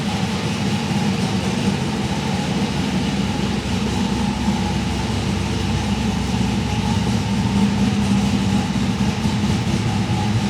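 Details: 1971 RS Camaro pro tourer, LS2 V8 with Edelbrock Victor Jr EFI intake, T400 with 5000 rpm stall converter, premium fuel, just started: steady, even idle with a deep low rumble, no knocks or misses; healthy and settled.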